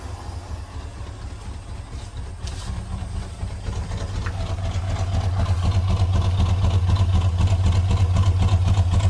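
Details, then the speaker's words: 1971 Chevelle Malibu small block, sat 20+ years, first running on gas fed from a jerry can through the fuel pump: loud, throbbing, rough idle with a raw puffing edge; they suspect a miss or a blown muffler on one side. "I don't know if it's missing or if it's blown the muffler's blown out on this side cuz I kind of hear smoking a hell of a lot more on that yeah I think the muffler's blown out"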